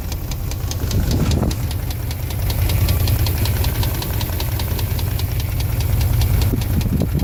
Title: 02 Dodge Dakota 4.7 Engine knock